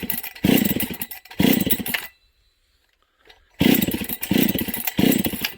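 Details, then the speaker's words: Husqvarna 272/268/266/61-chassis chainsaw after brake cleaner sprayed at the crank seal and oil pump seals; it died, then restarts revving in bursts and stumbling. Crankcase air leak confirmed. "there you go there's our problem friends okay so that shows you what was going on with this saw"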